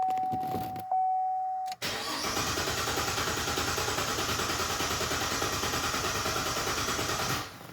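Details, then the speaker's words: 2011 Cadillac CTS with a misfire on cylinder five only (P0523 oil pressure sensor also noted). Clear-flood cranking for about six seconds after a chime gives a steady, even pulse with balanced compression. Normal cranking, so low compression is not the cause. "all right sounds pretty consistent to me"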